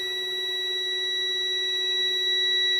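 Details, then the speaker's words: 12V battery and solar charge controller wiring: the continuity tester gives a steady, unbroken high-pitched tone across a wire that should not connect. The wire is shorted and will be replaced. "Tumutunog siya. Ibig sabihin shorted to."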